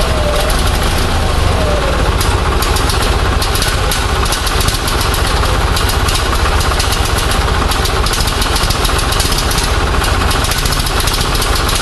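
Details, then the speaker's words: Onan 6.5 kW generator set running on an experimental Arduino Uno ignition driving a Toyota coil-near-plug two-tower coil; uneven, stumbling run with irregular firing, strobe shows timing jumping all over the place, no steady number. "I'm gonna sort of ran but obviously we still got a timing situation I couldn't get a good number but the timing is jumping all over the place"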